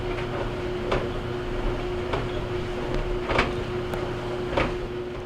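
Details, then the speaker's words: GE DBVH520GJ2WW gas dryer running with the top panel removed, steady motor hum and a soft thump about once per drum revolution (~1.2 s); the customer reports clunking after heating. "this noise that you're hearing right now it's kind of hard to hear it's a thumping noise that you're that noise as the noise customers complain about"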